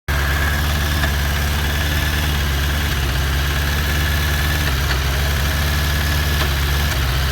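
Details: 2001 Suzuki Bandit, about 16k miles, after a carb clean and sync: lumpy idle with irregular popping and hissing as the idle drops, and cylinder 3 seems to drop out. No intake leaks found; plugs look good and have spark.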